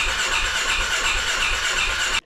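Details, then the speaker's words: 2016 Polaris Ranger 570 with hard-start complaint: steady rhythmic starter churn for two seconds that never catches, then stops; cranks but won't start. "it'll crank but not start"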